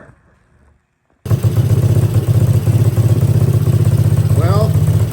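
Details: Kawasaki KLT110 engine after crank repair and carb cleaning, first rope start on makeshift fuel supply: after quiet, catches and settles into steady even low thump about four beats a second, running cleanly; repair worked.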